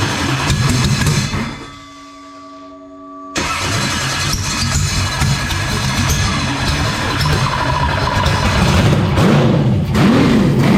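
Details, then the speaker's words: 427ci Dart LS Next 2 twin-turbo methanol race truck V8 on run stand, solid roller cam, billet internals, after fuel regulator and throttle blade adjustment, 70 psi base, small fuel hose leak. Loud lumpy cammy idle with sharp clean throttle blips; crisp, builder expects about 650 hp. "but that thing's crisp boy i think should make every bit of 650 horse"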